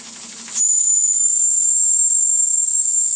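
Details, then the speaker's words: Antique toy steam engine fired on denatured alcohol, hot and at pressure. After a short quiet hiss, a steady, very high, thin whistle holds its pitch evenly; a healthy little steam whistle. "I think kind of a cute little whistle my ears cannot pick that up it just go ahead and toot the whistle Jordan"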